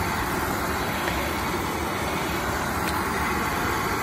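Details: Oil-fired heating boiler that would not light: burner now ignites with a steady, even roar, no sputter, but a restricted oil supply starves it and it shuts down.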